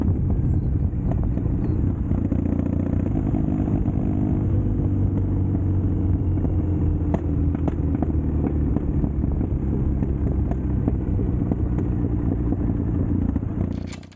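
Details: Custom Triumph Bonneville T100 on Down & Out Customs drag pipes, before stage 1 kit and ECU tune: loud throaty twin rumble with scattered sharp pops and cracks; untuned mixture causing backfire, with lost torque and top speed.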